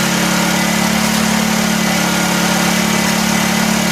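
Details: 1984 Honda EM600 generator on a cold start: constant, high, unwavering drone with no hunting or dips, racing too fast. Engine overspeed; the fine-tune adjuster knob did little, and a throttle issue is suspected, not confirmed.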